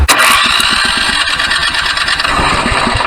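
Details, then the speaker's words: Electric starter powered by an Ecoflow Delta 1300 power station inverter at about 90% charge cranks the choked engine fast and evenly, several turns a second, not yet firing; strong healthy crank, harder than on house power. "Ooh, man, did that turn it over. Let's see, it's choked."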